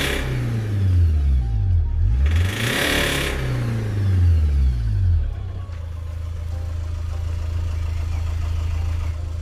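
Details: Honda Accord CU3 i-CTDi diesel with DPF light on, fuel leaking and white smoke from exhaust; heavy knock at mid revs when accelerating, owner first suspected bottom-end bearing, finding failing injectors.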